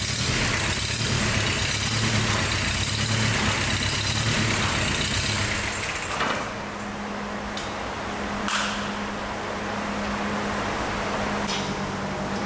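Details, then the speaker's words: 34-year-old, never-used Sabb M4 marine diesel, after a rebuilt mechanical injection pump and an electric lift pump fitted, water-cooled by hose: it catches and settles into a steady, even chug of about four beats a second with no misses. "there you have it after a long and challenging Journey the engine is finally running smoothly"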